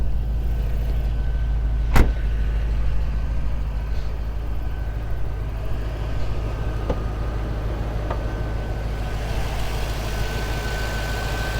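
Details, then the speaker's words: 2006 Pontiac GTO, unmodified 6.0 L LS2 V8 with stock air box, exhaust manifolds and exhaust, at idle: deep, even burble with no misses or ticks, steady low rumble; healthy, smooth-running engine. "runs and drives great it's incredibly smooth 6 liter has a really healthy idle sounds good feels good to drive"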